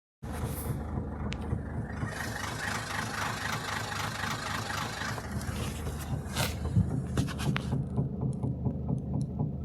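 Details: Toyota Etios GD 2019 at idle: a lumpy, uneven low thump about three or four times a second with a stumbling beat; the owner asks why it is misfiring.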